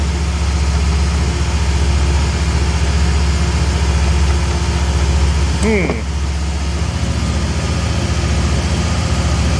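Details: 1971 Triumph TR6 barn find, parked about 20 years, after clutch slave cylinder work and bleeding; smooth low idle with an even pulse and one brief chirp midway. Engine runs normally.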